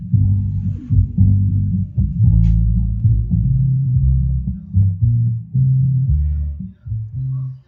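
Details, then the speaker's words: Polytron PMA 9502 active speaker after repair of dead bass (fault was a bad solder joint at the subwoofer speaker terminal), vocal speakers disconnected: deep, clean bass notes thump firmly with no buzz, rattle or crackle; subwoofer playing properly. "Nah, teman-teman bisa dengarkan di sini untuk nada subwoofer sudah berbunyi dengan normal."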